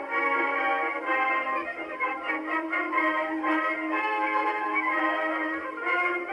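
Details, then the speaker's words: Victrola 50 phonograph (serial 90,087, circa 1922–23), rebuilt reproducer test playing a Marine Band march: clear, full sound at steady volume, no buzz, rattle or blasting on loud passages; normal playback. "So far, so good. Sounds pretty decent."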